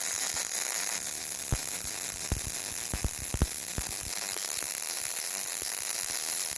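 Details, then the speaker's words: Yeswelder MIG-Pro250 laying long MIG beads with .035 wire on beveled, gapped 5/16 scrap steel plate: a steady frying arc with scattered sharp pops from rust contamination, making porosity (small holes) in the bead. "every now you turn every now and then you'll hear a little bit of a pop sound and that is me getting into a little bit of the rust so it's impurities and that pop is most likely a little hole in the bead called porosity"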